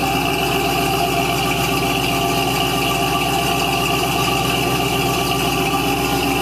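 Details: 1970 Cadillac Eldorado carbureted V8 on cold start, 3-step carburetor with choke set: steady, even, slightly raised idle with a constant hum and no misses; still on high idle while cold, normal cold fast idle.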